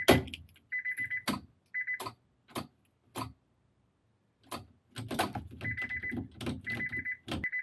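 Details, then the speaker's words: 1996 JDM Honda CR-V RD1 automatic with K24 swap and Hondata KPro, key-on after jumping the park inhibitor switch: high buzzer in short repeated bursts between clunks; ignition key lock still engaged, car reads as not in park. "and the ignition lock's still on so it obviously thinks it's it's not in park god that sounds annoying"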